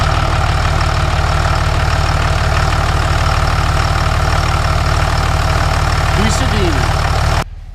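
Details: Dodge truck after installing a new idler pulley and belt: steady, even idle with a smooth low thrum and no belt squeal or pulley chatter. Normal idle, belt drive sounds right.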